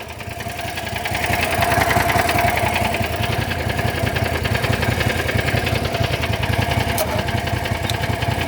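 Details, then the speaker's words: John Deere GT225 lawn tractor, battery low, charging from a Landmaster about 5 minutes, idle not adjusted: steady even cranking about 3.5 per second that never catches or speeds up; cranks but won't start, cause unknown. "Why are you not starting, you piece of junk? Oh my God. This thing don't start, I really don't care anymore. Never been this bad."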